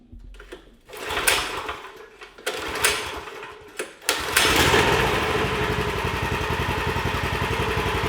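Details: Murray Kilowatt off-road go kart with Predator 420cc 13hp engine, sitting for years, on old fuel: a few pull-start tries, then it catches and settles into a steady, even single-cylinder beat about four a second; normal running.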